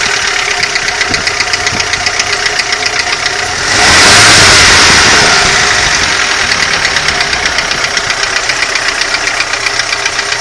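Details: Audi 80 engine knock: sharp, even metallic knocks about four per second over idle, louder when revved; internal knock, cause undetermined.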